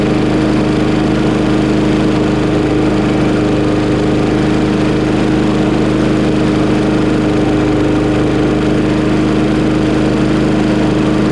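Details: Craftsman Briggs 550EX push mower after a new plastic carburetor replacement, shortly after a cold start, choke opened within 30 seconds: steady, even drone with a constant hum and no surging, sputter or stumble. Runs smoothly.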